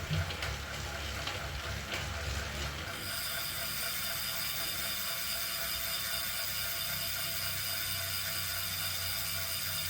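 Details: Zwift Ride bike on KICKR CORE trainer strapped to a rocker plate, spinning up: quick steady ticking keeping pace with the flywheel, a loud click inside the unit; known issue, unit replaced.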